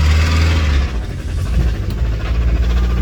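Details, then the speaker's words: Land Rover 90 (pre-Defender) 2.5 TDI diesel, after over-revving and running on its own oil pumped into the inlet (no intercooler): heavy deep irregular pounding under rough lumpy running as it moves; blown bearing, seized seconds later. "in case you ever wonder what a terminal engine sounds like that's it we have blown a bearing of sorts"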